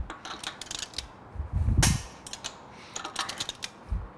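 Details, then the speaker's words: Wheel nuts torqued to 90 ft-lb with a Snap-on click torque wrench: ratcheting clicks under hand noise, then one sharp snap as it breaks over; torque wrench click at set torque reached. "the click is heard that means the required torque has been achieved this tire is now properly torqued on"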